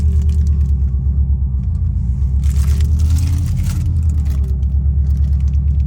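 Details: 2003 Subaru Impreza WRX NB (GDA), EJ205, 5MT, 148,345 km: deep steady engine rumble with an irregular rough beat about three pulses a second; abnormal engine noise, source not yet found.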